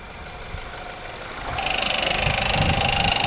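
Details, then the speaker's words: Ford Fusion idling fully hot at about 700 rpm, sounding normal until the AC compressor kicks on. Under that load, a heavy, thick-metal knock at about 3.5 beats per second; cause unconfirmed. "and the AC compressor just kicked on and put that load on the engine it sounds bad"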